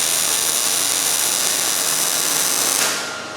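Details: New Miller Millermatic 211 MIG welder on auto setting, bead run at about 10 degrees and half an inch away on a beveled joint; even, steady frying crackle with no pops or stutters until the trigger is released, a smooth healthy weld.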